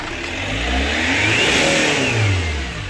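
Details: 2008 Chevrolet Captiva diesel, hard starting hot or cold, smoky, rpm capped near 3000, no warning lights: revs swell slowly and sag without crisp top end; weak from leaking turbo line.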